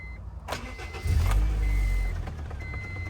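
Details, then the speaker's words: Honda CR-V RD1 with newly installed fuel kill switch turned on: short crank, then the engine catches and settles into an even, low idle with no misfire or knock; starts and runs normally. "I'll turn it on. Kill switch is now on."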